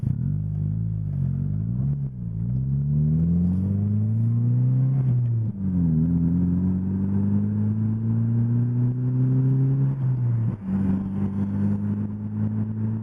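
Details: 2005 Scion xB after replacing the whole exhaust system with a new one, driving down the road: smooth, even exhaust note climbing cleanly through each gear and dropping on shifts, no rattles or leaks; healthy exhaust.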